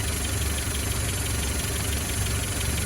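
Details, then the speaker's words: 1959 Land Rover Series II 109" pickup, ground-up restored, about 30 seconds after starting, choke off, hand throttle at lowest: low, steady rumble with even beat, no knocks or misses; normal warm-up idle. "and that's the choke's now off and the um and the hand throttles at its lowest that throws off too so and that's i think about 30 seconds after i started it"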